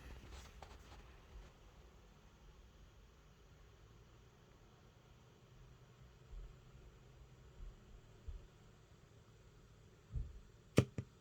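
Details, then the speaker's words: Rane Seventy DJ mixer that intermittently loses speaker or headphone output every 4–5 power-ups; near-silence, one sharp relay click at switch-on, then no sound from speakers; repair shop found a signal path fault. "You can hear the mixer actually clicking on. So I don't know why this is acting this way."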